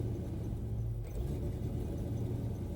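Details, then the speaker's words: Procharged 1996 Mustang GT on a new tune, about to drive: a deep V8 idle that swells and sags in a slow, uneven rhythm. The idle is hunting, better than before but still not right. "Kind of just sitting there going up and down a little bit."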